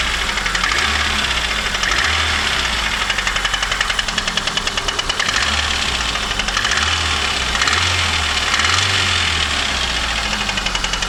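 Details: VAZ 2115 Samara 1.5 8-valve, idling: loud, sharp ringing metallic knock at engine speed, appeared one morning; owner suspects No. 4 piston, valves adjusted, camshaft seems fine; knock cause unconfirmed.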